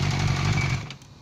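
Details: Suzuki GSF 600 running: fast hard rattling engine knock for most of a second, then fades; cause unconfirmed.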